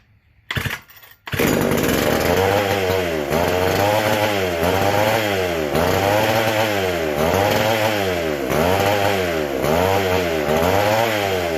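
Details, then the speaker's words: McCulloch SP125 chainsaw after carb rebuild, throttle butterfly closed: screams at high speed, surging in a regular wavering pattern; owner hears an air leak, carb not pumping fuel, possibly leaning out; a large gap between carb and intake was later found and fixed. "So hearing an air leak somewhere because it is not pumping fuel and it's running just incredibly fast with the butterfly closed."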